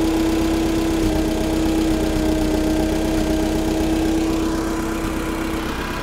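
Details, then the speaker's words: Allis-Chalmers FP-40 forklift after a fuel system overhaul, carburetor installed, no air filter, idle mixture screw adjusted, idle spec 500–550 rpm but no tachometer: even, steady putter that settles; a normal, clean idle. "i don't have a tachometer so i can't really get this engine dialed in it's supposed to be about 500 or 550 rpm at idle"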